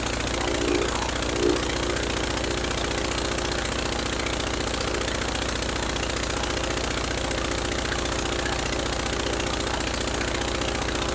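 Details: Rebuilt Praga B2 aero engine, last run 1 September 1939 on Hillson Praga G-AEYM, test-run bolted to a Vauxhall, at full throttle with lots of smoke: loud, steady rapid firing with a couple of brief early bumps, otherwise smooth, clean running.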